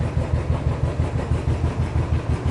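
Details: Royal Enfield Classic (350 or 500 Desert Storm) after the starter one-way bearing repair and fresh engine oil: even, low single-cylinder thump with no starter grinding or clatter; healthy start.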